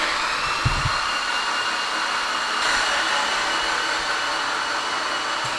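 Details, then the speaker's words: Freshly built 800whp Mitsubishi Evo X engine cranked with plugs out to prime oil before first start: smooth even whir with no compression strokes; oil pressure then came up to 21 psi. "So it sounds funny because there's no plugs in it, which is much easier to build oil pressure off of because there's no compression at all."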